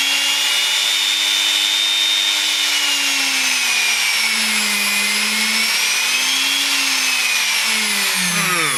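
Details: Juicer/blender being tested: high-pitched motor whine drifting up and down with load, no grinding or rattling, then spinning down; motor runs normally.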